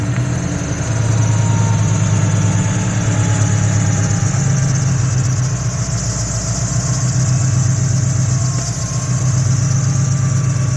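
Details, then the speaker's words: Subaru FRS with Vortech supercharger, Borla UEL headers, catless front pipe and Tomei 80R exhaust at idle: a thin, steady high squeal rides over a loud, lumpy idle, supercharger belt squeal. "i really want to take apart the vortech supercharger and swap out the belt because i don't know if you guys noticed but sometimes in the videos this car squeaks like crazy"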